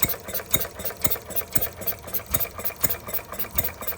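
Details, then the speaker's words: Stirling Kits Retrol G16 model stationary gas engine on its first start, throttled down to slow running; water pump not yet primed. Even, crisp firing near two beats a second with no misses, ticking over slowly: normal running. "Well, I think it runs well."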